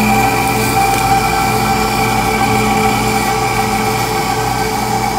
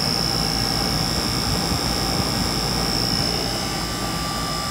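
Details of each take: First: Rooftop AC unit on a no-cooling call, compressor and condenser fan running: indoor blower motor runs but sounds terrible, a loud steady droning hum with harsh tonal buzz, struggling; its run capacitor is burnt out. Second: Rooftop 5-ton AC unit (58.2 ANW 060) on a no-cooling call: indoor blower motor, after its burnt-out capacitor was dealt with, gives a steady airflow roar with a thin high tone at 4.8 A versus 6.2 A rated; normal blower operation.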